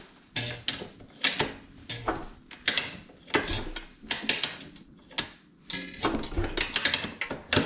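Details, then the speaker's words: 1981 Husqvarna 250 CR two-stroke dirt bike, sat in a shed 35–40 years, unstarted: repeated kickstarts about every half second, each with firm push-back and spin; decent compression, number not yet measured. "Decent compression. I don't know what the number is, but we'll check that for sure."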